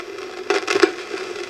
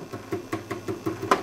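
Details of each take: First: Old GE 12AX7 preamp tube, already weak, tested on a tube microphonics analyzer with audio monitoring: steady mid-pitched hum broken by loud crunchy bursts when tapped, showing a microphonic tube. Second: 12AX7 preamp tube in the Micronaut II microphonic analyzer at fixed 1 mA current: light, dry taps about five a second, each dying at once. Both triodes are quiet and clean, a good non-microphonic tube.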